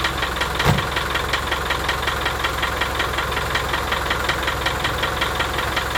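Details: 1987 RHD Land Rover One Ten, 300Tdi diesel idling with a sharp regular tick about three per second over the engine note; engine previously overheated, head skimmed beyond limit and fitted with the thickest head gasket, two years running.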